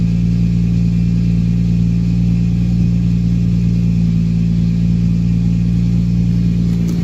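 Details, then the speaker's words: Nissan 350Z with VQ35 V6 idling while warming up after a new battery was fitted for a misfire; alternator, spark plugs and coil packs had already been replaced. Steady, even low hum with no stumbles; sounds like it's supposed to, normal idle. "So it sounds a lot better. Focus. Sounds like it's supposed to sound."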